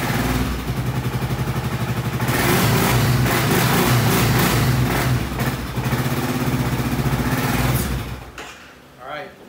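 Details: 2010 Kawasaki Brute Force 750 ATV, one cylinder head not working: lumpy, loping idle with uneven pulses about four a second before it dies out, sounding like one cylinder isn't firing; cause not yet confirmed.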